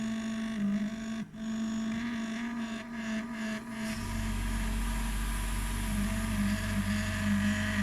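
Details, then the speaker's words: Abnormal noise from a GRS AT that sounds a little different than before and has never happened before: a steady low droning hum with a faint whine, and a deeper rumble joins halfway; cause unknown. "Hello, who knows why this GRS AT sounds making some noise? It's a little different as before."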